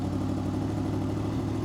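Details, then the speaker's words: 2005 Honda VFR800 VTEC, idle knob on the right side turned clockwise: steady, even hum with no hunting or misses at about 1600–1700 rpm against a manual spec of 1200 ±100 rpm; idle speed set too high. "you can hear, the RPMs are going up. So look at that, it's around 1600 RPM right now, or 1700 RPM."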